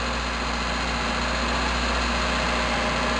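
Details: Toyota Tercel 4WD idling after timing belt, front seals and used water pump replacement, idled to check for water leaks; steady even low idle with smooth hum, no knocks or ticks; normal idle.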